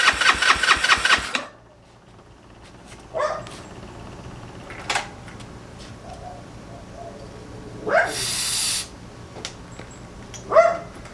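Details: GY6 engine with a 171cc big bore kit in a Honda Ruckus, cranked on choke at first start after install: a quick burst of rapid, even starter chatter that dies without catching. No spark, caused by stator blue and red wires to the CDI being reversed.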